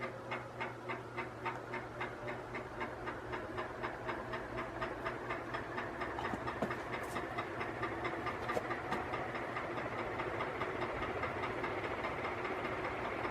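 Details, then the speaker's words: Canarm 48-inch three-blade industrial ceiling fan, made October 2011, motor arrived frozen and was heavily oiled: spins up with rough rhythmic scraping quickening over rushing air; motor bearing grinding, still some resistance. "This one here actually will, but as you can hear, there's a bit of a grinding sound."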